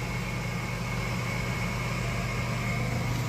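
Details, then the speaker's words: Two-zone gas boiler on a no-heat call, both thermostats set to 80: inducer motor running with steady low hum and faint high whine, even and unchanging; inducer works, no-heat fault lies elsewhere. "Both thermostats are set to 80. My inducer motor is running."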